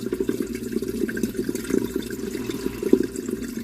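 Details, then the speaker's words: Kitchen sink drain after plunging, while the dishwasher pumps out on a cancel cycle: steady gurgling flow with splashy trickles and no backing up; drains freely, though the piping's multiple turns still cause some slowness. "it's actually doing pretty good guys it's not coming up this side and it's draining out on your dishwasher here"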